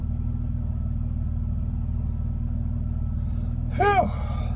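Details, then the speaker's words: Petrol car that shook and stalled at stops, after Lucas upper cylinder lubricant and injector cleaner in the tank and idle set-screw adjustment to about 500–700 rpm: idles low and steady in park, no stumble or hunting. "if you're having a rough idle give that a shot no rough idle guys"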